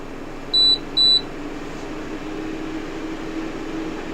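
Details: Aerus A1040A Pure & Clean air filter, brought in with a sluggish fan, tested on power after recapping near the fan control: two short high beeps from the controls, then a steady even fan hum with no rattle or wobble. Fan now runs normally.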